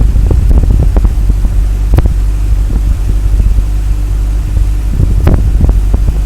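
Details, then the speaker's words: 1984 BMW E30 318i after idle control valve cleaning and valve adjustment, automatic in park with idle still high around 1500 rpm: fast petrol idle with steady low drone, broken by an occasional irregular puff from the exhaust; intermittent misfire, cause unknown, car failed smog. "still getting an occasional misfire you know you can hear that Puff s exhaust me"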